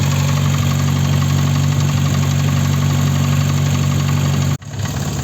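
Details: VAZ 21083 at idle, the same warm or cold: a metallic, ringing knock about three per second over a low hum, loudest at one spot. A piston pin, probably in cylinder 1, is suspected; compression reads roughly 10 to 13.5 across cylinders.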